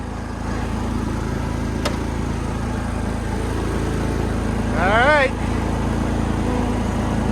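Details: Yazoo-Kees zero-turn mower engine started with choke and running on bad fuel: a steady low drone with an even beat of about four per second and no knocks or misses. It runs great despite the fuel.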